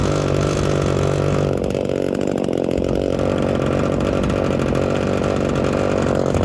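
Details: Small two-stroke chainsaw, just out of a couple of weeks in winter storage, started after priming until there are no bubbles, on half choke, then the choke is pushed in. Steady, even fast idle with no misses or surging; normal running.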